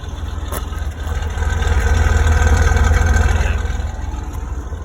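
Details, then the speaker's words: Restored 1982 Toyota FJ40 Land Cruiser engine at idle: steady, even low idle with smooth regular pulses, no knocks or misses; normal, healthy idle. "As you can tell, really idles great."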